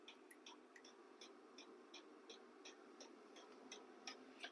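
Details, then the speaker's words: Battery-powered diesel heater warming a container workshop, switched from H2 to H3: crisp fuel-pump ticks nearly three per second speed up slightly over a rising fan rush; the pump ticking is normal, and the room has warmed from 7°C to 18°C. "now it's at H3 so you can hear the pump speed up a little bit and the fan come up to a higher RPM"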